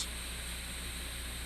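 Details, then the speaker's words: Steam cleaner with the heater coil switched off and pressure bled through the hose, filler cap unscrewed in quarter turns: a steady, airy steam hiss over a low hum as the tank depressurizes. This is normal. "you start to unscrew the filler cap some vapor will seep through and you'll hear the hissing sound as your tank depressurizes do not be alarmed this is normal and will happen each time you depressurize"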